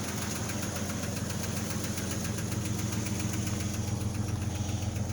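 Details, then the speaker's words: Light, fairly regular tick at idle just after a cold start on a 2003 Jeep WJ 4.0; the tick comes and goes as it warms, growing louder then stopping; owner unsure whether ticking noise or piston slap. "i don't know if you can hear the tick or not a fade as it warms up sometimes it'll keep going"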